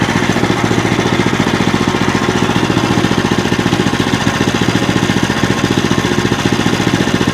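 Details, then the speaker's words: Small single-cylinder engine on a bandsaw wood mill, bought as a non-runner, chugs with a crisp, even beat at steady speed after carb work, no misses or surging; normal running. "there we go idling with all controls listen to her purr wow"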